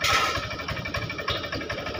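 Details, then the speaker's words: Honda Vario 125 FI scooter: uneven idle, sputtering with irregular chuffs, severe misfire, hard to start, MIL lit and heavy when throttled. "keadaan dalam brebet brebet Parah jadi seperti ini"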